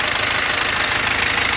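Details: BMW X1 diesel engine at steady idle with a faint, quick repeating knock underneath, pointing to a worn crankshaft damper pulley; owner plans to replace the damper pulley.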